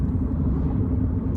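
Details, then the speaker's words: Chevy Cruze at 53 mph after replacing the bad front wheel bearing: steady low road rumble, no growl or rising hum; front bearing now quiet, though a little possible rear wheel bearing noise remains. "I don't know if you guys can hear the difference still sounds like I may have a little bit of wheel bearing noise from rear wheel bearings but I've replaced the wheel bearing on this car"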